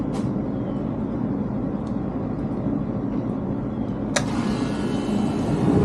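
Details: 37-year-old Rheem AC outdoor unit first started after a new contactor and capacitor: steady low whoosh and hum from fan and compressor, no knocks, rattles or squeals. Running smoothly.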